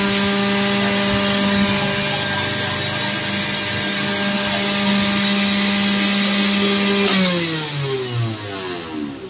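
A steady high motor whine runs evenly, then the motor is switched off and winds down smoothly with no grinding or rattle.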